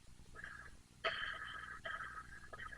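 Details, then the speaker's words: Worn roller bearings: rough, gritty, crunchy whirring in short bursts as the small roller wheels the axle rides on are spun by hand; cheap shielded bearings contaminated by dust. "those bearings are awful crunchy"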